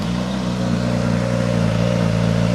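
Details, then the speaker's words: 2022 Suzuki GSX-S1000 GT on dyno with Akrapovič exhaust, cold start: steady, even idle with a smooth low, fairly quiet exhaust burble and no knocks or ticks; normal cold idle. "It's fairly quiet with this exhaust system on it."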